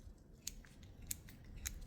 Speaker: On entend les petits crans de réglage. Donc on a vraiment trouvé une vis fonctionnelle de A à Z sans problème.